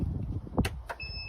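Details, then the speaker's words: Aftermarket Elite electric tailgate lift kit installed on car boot, after adjusting latch so boot closes flush with bumper: a few soft thuds, soft-close latch pulling in hard, then steady electronic tone; tailgate shutting cleanly and level. "it shuts nicely, flush with the edges. So it's nice and level now."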